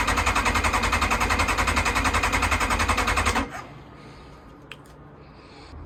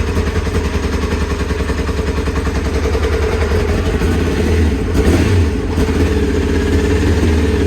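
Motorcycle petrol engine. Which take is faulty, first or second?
first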